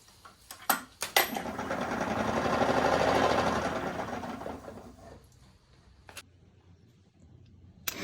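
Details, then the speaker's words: $200 electric motor fitted to a dead Mini Cooper spins up with a rough, rhythmic rasp then winds down; resistance at the back, shaft coupling rubbing and grinding metal, why the motor wasn't spinning. "we've got a little resistance of rub here in the back and we're actually grinding metal yeah so that's the reason why you hear that grind"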